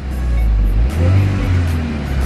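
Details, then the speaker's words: Volkswagen Golf R with stock exhaust reinstalled, revving: deep, smooth rev swell with a clean low rumble, no rattle or drone; much smoother and quieter than before the fix; normal exhaust note. "God it's so much smoother now it is so much smoother now before it would like do it would Rumble really bad it's so much quieter now"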